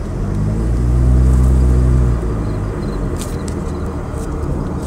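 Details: 2003 Mitsubishi Lancer ES 2.0, fully warm after an hour's driving: deep, lumpy idle that wavers and loses strength; misfire from a bad coil pack, which left all four spark plugs fouled with oil.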